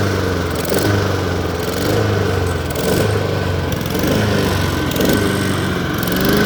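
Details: Lawn mower started after sitting 2–4 months over winter, catching around the 10th–15th pull; engine chugs unevenly, surging and sagging every couple of seconds. Owner attributes the rough running to old gas.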